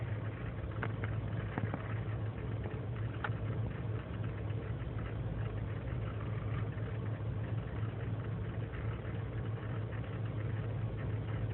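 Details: 2003 GMC Sierra Z71 5.3L V8 (non-flex fuel) cold idle after overnight in single-digit temperatures, no throttle: low uneven idle with faint irregular stumble; lean and misfire codes, owner suspects leaking intake gasket; runs fine once warm.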